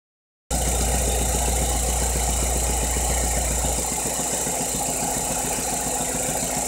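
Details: 2.2 Ecotec petrol engine idles with a steady knock about four beats a second, persisting after replacing cam phasers, timing chain guides, tensioner and cam actuator solenoid; cause unknown.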